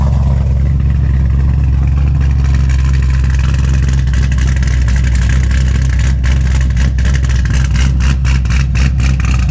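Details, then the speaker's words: 2006 Corvette Z06, tuned to about low 500s hp, after earlier severe knocking; deep even rumble at idle and revs, swelling cleanly with throttle, no knock or tapping; engine healthy after repair. "No more knocking. Sounds so good, dude."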